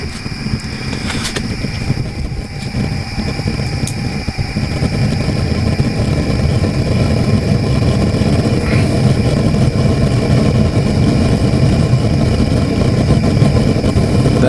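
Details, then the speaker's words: Propane burner on a small sprung-arch stoneware kiln, with a fan added to the open pipe burner. A low, even rushing roar that grows fuller as the flame gets more oxygen and is pushed deeper into the furnace; normal operation. "flame is now getting more oxygen and is being pushed a little deeper into the furnace"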